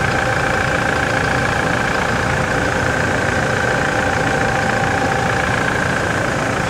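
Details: Toyota Hilux 2016/17 diesel at idle after steering box replacement for leak and steering noise, new oil and bled system. Smooth steady idle, no pump whine or groan while turning the wheel; power steering quiet.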